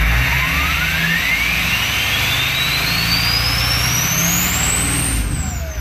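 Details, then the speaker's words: Ford 6.0 Powerstroke diesel after fixing a misfire with a new injector: steady diesel rumble with a loud turbo whistle climbing in pitch as revs build; engine runs even and healthy. "With that new injector, the turbo's so loud now, oh my goodness."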